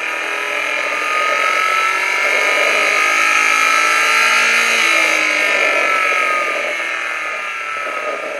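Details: Replayed engine knock-sensor signal on a Phormula KS-3 Knock Analyser Pro, baseline run before boost was raised, reading about 40: even, steady high-pitched run with no ticks or pings; no knock.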